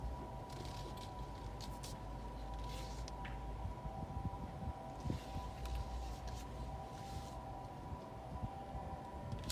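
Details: New 2022 Honda CR-V Hybrid AWD at standstill: loud steady high-pitched hum over low rumble in reverse, neutral or drive, louder in reverse, quiet in park, present about 90% of the time.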